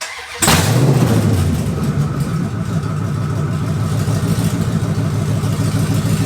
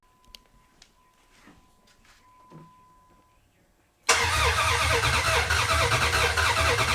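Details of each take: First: 2004 Dodge Ram Rumble Bee with a swapped 6.1 HEMI V8 from a 2006 SRT Charger, open headers: catches quickly and settles into a loud, lumpy but even rumble, no knocks or misfires; healthy start and idle. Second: 2004 Dodge Ram Rumble Bee, freshly swapped 6.1 HEMI V8 from 2006 SRT Charger, first start: catches after a pause and runs loud with a slightly uneven beat; rough idle, suspected open port on intake needing a plug.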